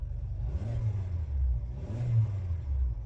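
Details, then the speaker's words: 2014 Kia Optima, 148,000 miles, AC off, auction inspection: two quick revs climb and fall back cleanly with smooth low hum, no knocks or rattles; healthy engine rev. "And we want to listen to the engine, so let me rev it up."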